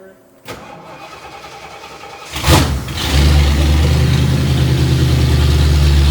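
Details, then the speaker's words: 1977 Jeep Wagoneer chop-top barn find, started on temporary wiring: it cranks and catches, then settles into a heavy, steady low drone that dominates everything. A loud exhaust drone. "that is stupid loud there's no way we're Wheeling with that drone machine"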